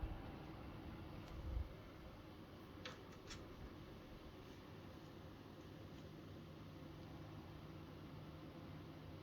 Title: buzzing noise from fan